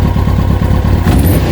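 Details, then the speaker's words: Kawasaki ZX-6R after 10 years idle, carbs cleaned, airbox off, direct fuel line tank to filter. Deep, pulsing idle with loud intake rasp and steady beat, throaty from running without airbox; slight stutter noted. "Put the airbox back on the top for now as well, just to sort of stop it sort of being so throaty, and then obviously make it breathe"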